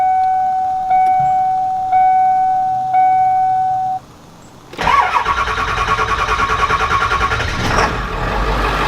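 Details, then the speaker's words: 7.3 turbo diesel van after new alternator and correctly rerouted serpentine belt: chime beeps, quick crank and catch, even diesel idle clatter with no belt squeal, no dash lights, charging; running normally. "As you just saw, guys, the old 7.3 is running good now"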